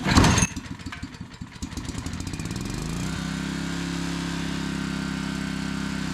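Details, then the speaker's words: Old Generac 4,000-watt barn-find generator, pull-started after choke and fuel bowl trouble, catches, stumbles, then settles into a smooth, steady run; normal running. "start all right well cool at least the thing works that's good"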